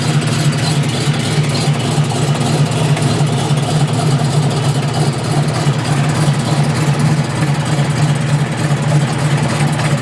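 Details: Engine idling, recorded outside: low steady drone with a fine rapid puffing tick over it; exhaust leak.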